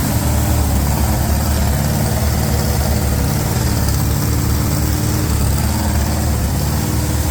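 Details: 350 small-block V8 being broken in on a Larin engine run stand: steady, even low rumble at a constant idle speed with no knocks or misses; normal idle.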